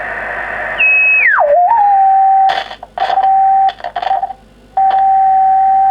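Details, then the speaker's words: Kenwood TS700S 145 MHz all-mode VHF transceiver, receiver check with generator at 1 µV on 145 MHz: clean steady whistle sweeps down and settles into a stable tone over hiss; upper/lower sideband tuning rather precise, S-meter indication nonsense; receiver normal. "it's remote upper side bend when i go to lower side bend it is rather precise"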